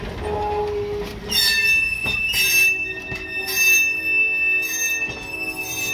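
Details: Train on its first run of the year rolling through: loud high-pitched squeals rise and fade in waves, suspected dry wheel flanges screeching against the rail; cause not confirmed.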